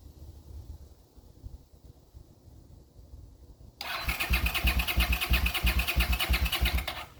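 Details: 40-year-old GL500 motorcycle, first start attempt after a rebuild, run from a gas bottle: about three seconds of steady starter whir with regular compression pulses, never catches. It tries to start on starting fluid, so it is not getting fuel.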